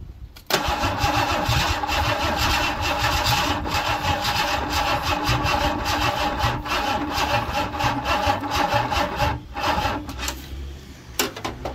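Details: Ford Cortina Mk4 Ghia estate, 2.3 V6, under restoration, on a will-it-run attempt: long steady starter churning at about two beats a second with only faint pops and no catch. It cranks but won't start; the battery may have been dying, cause unconfirmed.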